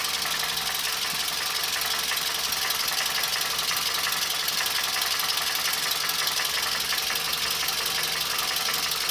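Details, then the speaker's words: Toyota Camry engine at idle with the accessory drive belt removed, knock unchanged or louder: hard metallic tapping about two per second, dull, heard front and rear; oval (worn) bores in cylinders 3 and 4, piston slap. "Звук также и остался. Даже, мне кажется, еще больше стал. Вот долбит что-то в моторе, блин, металлическое."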